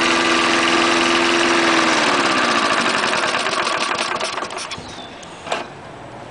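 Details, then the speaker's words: 1974 Snapper mower, 3.5 hp Briggs engine, trash-picked, fresh gas, started cold: runs smoothly and steadily, pitch sagging as throttle comes back, no stumbling or misfire, does not stall. "starting it again 3.5 horsepower Briggs still runs good even though it's got the chute for the site discharge"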